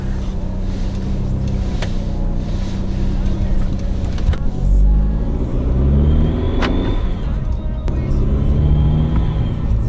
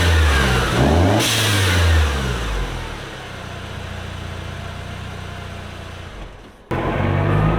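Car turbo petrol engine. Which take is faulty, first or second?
first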